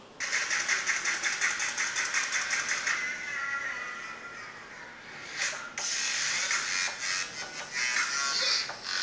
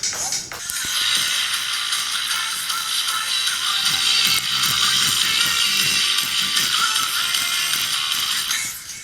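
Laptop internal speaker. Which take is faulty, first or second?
second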